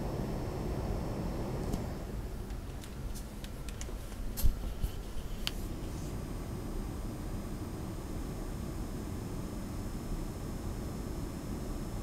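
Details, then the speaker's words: Lian Li PC-Q08 water-cooled HTPC with the side panel on, mic outside the panel, pump at about 50% voltage: a few handling clicks, then a faint steady low hum and soft hiss. Pump and fans are running quietly and normally. "again the pump is running at about 50% voltage so I think it's quiet from me"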